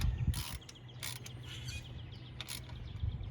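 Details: Hand-spun pulley on a 1999 Chevy Silverado 1500 4.8 during water pump and pulley replacement turns with a low, even hum and no grinding, scraping or rough bearing noise; this pulley is good.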